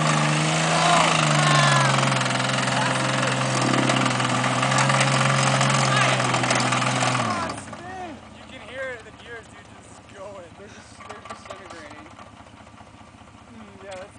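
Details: Off-road vehicle climbing rocks on Fire Break 5: heavy, even knock about three or four per second under load, first heard only at wide open throttle and at first blamed on the ring and pinion, until shutdown; a broken rod and spun bearings found.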